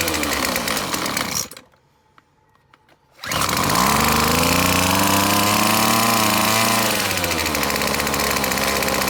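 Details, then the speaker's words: McCulloch T55 CLS line trimmer, spark present, two-stroke fuel poured into the cylinder: buzzes, cuts out, fires again and revs unsteadily before sagging, won't idle; owner first guessed a blocked carburetor jet, later found the cylinder head bolts loose. "so clearly the problem is it just doesn't want to idle so I'm gonna guess there's a jet blocked in the carburetor or something similar you know this whole thing appears loose I just wonder if that's the actual real problem here"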